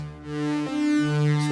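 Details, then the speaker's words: Yamaha CS-40M vintage analogue synth after repair: clean, bright, buzzy notes sustain steadily with no crackle or dropout, both oscillators sounding full; a proper waveform has replaced the chopped one caused by the output switch, and it sounds as expected. "And if we have a quick listen, it sounds much better. Now I can hear what I would expect to hear."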